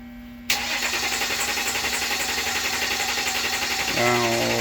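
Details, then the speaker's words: 2016 Dodge Ram 1500 diesel, crank-no-start after three shops, with a scope on the crankshaft position sensor; dealer blamed fuel, but the sample looked clean. Starter whirs steadily with no catch, and there is no fuel injection command. "o turn on right there [Music] nothing we don't have a fuel-injection command"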